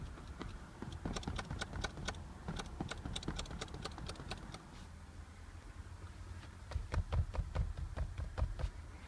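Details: Audi A4 8K B8 passenger seat: quick, irregular plastic-like ticks at about two per second over low road rumble while driving, a rattle from under the headrest.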